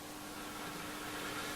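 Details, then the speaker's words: Roberts R747 radio after repair: steady faint fixed-pitch hum under hissy background from a noisy mains transformer, which is missing a mounting screw. "Noisy transformer, I can hear it humming now."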